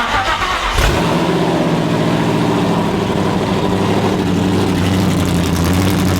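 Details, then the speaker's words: Coyote V8 swapped into an older Mustang, first start with no exhaust, a stock injector tune with 62-lb injectors, and one wideband. It catches into a loud, uneven, lumpy idle with open-pipe bark, running rough because the tune is far off; the pedal was possibly stuck. "he's not gonna run good because the tune's like pretty far off"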